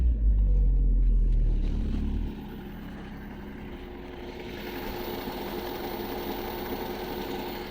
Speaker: тысячи полторы как минимум где-то проехал и те заметил что гидрокомпенсаторы не тарахтят вот машина холодная доволен